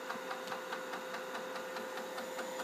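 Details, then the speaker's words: Altair FDC+ floppy controller running the disk mount procedure, which reads all 77 tracks; quick even ticks about five a second over a steady high whine as the head steps track to track. Normal floppy head stepping. "so we'll do the mount procedure. Here you can actually hear it stepping."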